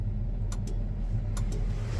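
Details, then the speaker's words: Versatile 2375 tractor diesel idling, turn signal flasher relay clicking in pairs a little under once a second, but the signal lights are not flashing. "so here's my issue with the signal lights is I turn them on hope you can hear but you can hear the relay"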